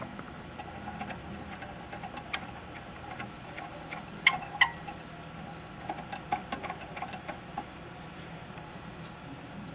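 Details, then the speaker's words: 1956 GE 14T014 black-and-white portable TV, horizontal output tube plate cap connected, horizontal frequency control adjusted to slow it (around 6 kHz suspected): thin, steady high-pitched whine over faint clicks; horizontal oscillator whine at lowered frequency. "I got the um horizontal frequency all the way up this is slowing it down I don't know if you can hear it"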